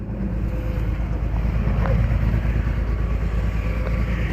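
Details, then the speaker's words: 2003 BMW 325i with check-engine light, before ignition coil replacement: deep lumpy idle stumbling unevenly with faint rattle, engine shaking; misfire from a failed coil. "can definitely hear it yeah the engine is shaking and making a rattling noise"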